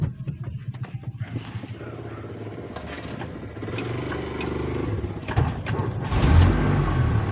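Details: Mitsubishi brought in for an alternator charging check; the battery light comes on at key-on. Engine starts and settles into an even, low idle with no knocks or squeals. The alternator is charging fine; the owner says the battery used to drain quickly.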